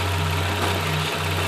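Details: 2002 Nissan Maxima VQ35 V6 idling: low steady hum with a brief stumble; P0306 cylinder 6 misfire, unplugging that coil left rpm unchanged, so the ignition coil was bad.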